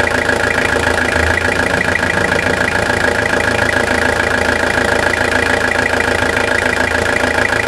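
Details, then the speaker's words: Toyota Hilux SR5 2.8 diesel, 2000/01, 1,000 km after full revitalization service, gearbox leak fixed, heard from underneath the engine: even, unbroken diesel clatter at idle, about 200 beats a minute, no misses or knocks; normal idle. "Olha essa melodia por baixo do motor, olha que beleza."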